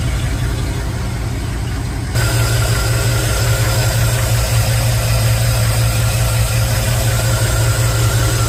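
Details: Chevy after a remote solenoid fix for a starter that wouldn't stop cranking, battery a bit flat: the engine catches and settles into a steady, even low idle with no starter whir lingering; starter drops out as it should.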